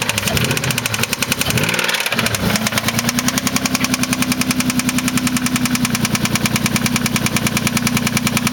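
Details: 1993 Mitsubishi 3000GT SL at 109k miles: a sharp, steady knock about three and a half per second rides over the idle after it catches; owner suspects a spun bearing, unconfirmed.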